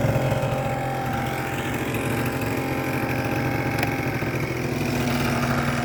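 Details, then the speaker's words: Hot 50cc two-stroke scooter at idle, original airbox refitted, original 39 mm piston, Koso variator, repainted exhaust: a smooth, even buzzing idle with no knocks or rattles, bearing sounding good, little vibration; normal idle. "And sounds good. Sounds pure and simple and uh bearing sounds good. Doesn't vibrate very much either."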